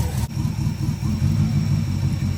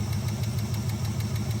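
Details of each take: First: Small-block Chevy V8 in an El Camino with hydraulic lifters, after retarding the timing to about 5–6°: repeated clean throttle blips rising and falling evenly with no backfires, revving crisply and smoothly. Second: Small-block Chevy with hydraulic lifters, running: the rocker is backed off until a sharp, even tick of about six a second sounds over the idle, then tightened until it stops plus three-quarter turn; reset because of blow-by.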